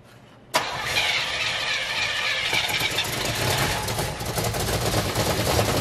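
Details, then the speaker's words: 1980 Oldsmobile Cutlass that sat almost two years, first start: it cranks and fires, then runs ragged and uneven with a hissy, unsteady roar and won't keep running. Many vacuum leaks are suspected; the source of an odd noise is unclear. "this thing's probably got 10 000 vacuum leaks on it i wish it would run long enough to try and figure out where that sounds coming from because in the car it doesn't sound like it's in the motor but i can't hear it out here"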